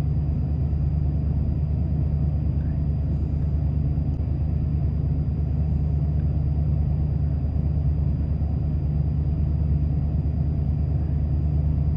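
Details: 1993 Ford F-150, about 110,000 miles, at startup: low uneven loping idle that stumbles instead of settling; codes 998 (limp mode) and 122 point to failed throttle position sensor, part on order.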